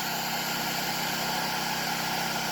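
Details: Enkeeo SC2300i 2300W 79cc 4-stroke OHV inverter generator in economy mode at light load, about 84 to 500 watts: steady, even hum with a constant light buzz and no surging or misses. Smooth economy idle.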